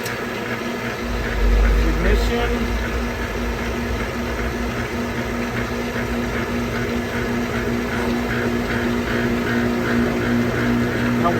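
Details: Pentair MasterTemp gas pool heater that was popping, clicking and not heating, fired up after repair: steady even burner roar with a low constant hum, no popping or cracking; heater firing cleanly.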